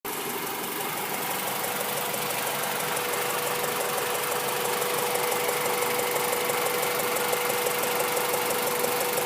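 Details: Honda B16 petrol engine at idle, car parked for a month and started every other week: light, fairly steady tick about three times a second over a faint hum; owner unsure whether it is a ticking valve or a misfire.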